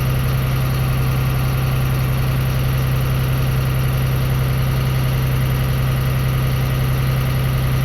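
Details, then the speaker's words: Transit school bus diesel (Franklin Township, Indianapolis) during CDL air brake test: after pumping brakes down to about 90 psi, high idle switch on. Steady raised smooth thrum, no knocks or misses, while air builds toward the governor cut-out at 120–140 psi; normal high idle. "And then I'm going to hit the high idle switch to let the air governor build back up, and then the governor is going to kick out between 120 to 140 psi, and then you will hear a psh sound."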